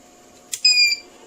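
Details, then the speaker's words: TBE 2000 W power inverter after repair, giving about 218 V AC and running an electric fan, switched off and on again: a single short beep under half a second, then quiet; a normal startup alarm while the capacitors are not yet charged. "So ganun lang minsan pagka ganito mga inverter may ano talaga may case talaga yan na pagka hindi pa masyadong naka-charge yung mga capacitor minsan naga-alarm pero pagka naka-charge naman yun okay na yun."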